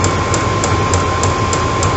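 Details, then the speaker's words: Chinese 12V eBay diesel heater in an off-grid garage, run off a 12-volt battery, restarted via breaker: steady fan hum with crisp fuel-pump ticks about three per second as it primes and starts up automatically; normal start-up. "and once it's hot that's all it does ropes it all out itself and just runs itself that's it all off a 12 volt battery"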